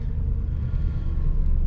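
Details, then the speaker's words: 2500 Suburban V8 cold start on a cold day, after the owner hopes alternator replacement fixed the misfire; idling just over 1,000 rpm with a steady, even rumble and no stumbles or shaking: normal cold idle. "and it sounds like it's running fine it's idling at you know just over 1,000 RPMs but it is pretty cold out"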